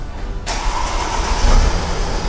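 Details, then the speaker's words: Mercedes-Benz ML350 after a decarbonization treatment and a road run of about 30 minutes. Silence, then the engine catches straight away and settles into a steady idle without the former starting smoke. It now starts quicker; previously it was slow to start. "Olha aí. Vocês já viram que já pegou mais rápido o carro, ele já demorava para dar partida."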